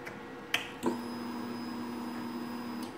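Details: 2004 Honda CBR600RR with previous no-fuel-prime no-start, after the ignition switch Zener diode fix: a click at key-on, then a steady low hum about two seconds that shuts off cleanly, the fuel pump priming properly.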